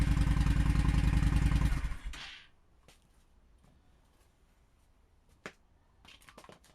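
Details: Honda Shadow V-twin with refitted stock exhaust: about two seconds of steady, even thumping with no popping before switch-off. Normal idle.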